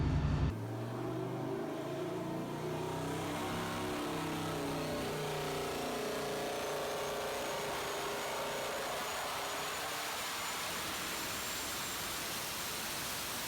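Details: Junkyard 5.7L Hemi with S475 turbo, long-tube headers, Comp stage 4 cam, 80 lb injectors on dyno, run with boost raised from about 7 psi. Strong, clean pull, note climbing steadily and evenly through the revs, no misses or knocks; healthy boosted V8.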